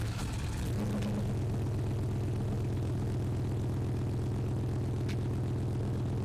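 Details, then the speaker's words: 5.3-swapped OBS truck after new fuel sending unit and hardwired pump relay, cold start warmed up: engine settles into a steady even low drone, no misses, good throttle response, though an unidentified small rattly knocky noise remains; normal running. "Sounds good. I don't know what that little rattly knocky noise is, but Throttle response seems okay."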